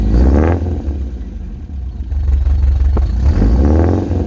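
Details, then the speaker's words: Subaru wagon with its old fiberglass-packed, roughly 14-inch X-Force straight-through muffler: deep booming exhaust swelling to a loud blat on each throttle blip; too loud, before replacement with a Lukey Turbo muffler. "And so I'll give you a demo what it sounds like at the moment, and take it on the freeway up to 100 kilometers an hour, get it sort of 3,000 to 4,000 revs under full load, and you'll, on the inside of the car, you'll know what I mean and why I'm changing it."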